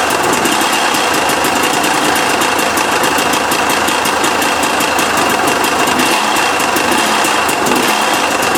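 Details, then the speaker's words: 2008 KTM 250 XC woods bike, just acquired in a trade: loud, harsh running with a rapid, gritty, uneven ticking over the engine note; crunchy engine knock, cause not yet known. "See, you can hear that. Man, Man, that sounds so crunchy."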